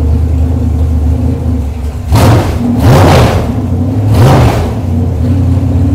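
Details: Chevrolet 454 big block V8 on a test stand, cold day, over 2 gallons of fuel already run through it: deep even rumble at idle with three sharp throttle blips rising and falling cleanly; healthy, runs nice, ready to deliver.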